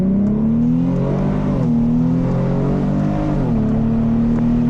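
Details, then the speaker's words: Car driven on a test drive in paddle-shift mode: deep exhaust note climbing smoothly through the revs, clean shifts dropping pitch then climbing again, rev matching; strong, healthy acceleration. "Oh my God, this car sounds so good. Oh my God. Oh my God, the rev match capabilities of this car. Guys, this car sounds so good and it feels so good. You definitely got power out of this car."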